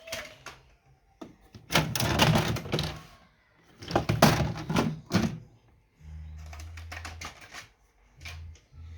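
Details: Brother office printer running with harsh clattering, grinding bursts and a low motor hum between them; faulty printer grinding noise.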